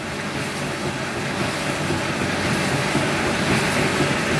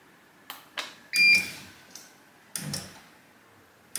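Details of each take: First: Bosch E90 dryer after replacing the worn motor relay, which had stopped the drum: steady rumble with an even rhythmic clatter about three times a second as the drum turns; runs normally. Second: Bosch dryer (E90 error), drum motor tested with drum inside: sharp relay clicks as the motor gives short hums but never starts; suspected electronic board fault, motor start capacitor measured 8.9 µF and tested good.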